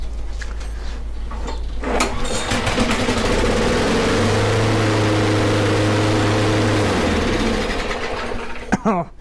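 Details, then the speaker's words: Briggs & Stratton mower engine after fixing a no-spark fault and throttle cable, running with the air filter removed: starts after a few pulls and races at a high, steady buzz far too fast, then the pitch drops as the throttle is pulled back; engine overspeed. "no bag that's like a rocket i would assume that's a little too fast actually so we're just going to push that back"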